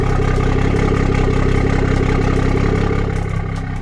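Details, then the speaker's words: BMW 440i (B58) idle after replacing old spark plugs for a check-engine light: steady, smooth low rumble, stable rpm where it previously jumped at idle; engine running normally after repair. "Idle sounds pretty good, guys. So nothing crazy so far."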